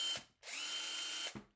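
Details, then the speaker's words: Heavily used Harbor Freight Earthquake impact wrench, 13 months of professional use and suffering low torque, run free on a fully charged battery: high, raspy whirr with pitch wobble and audible brushes, plus a burnt smell. Sounds worn. "doesn't sound the best you hear the brushes there"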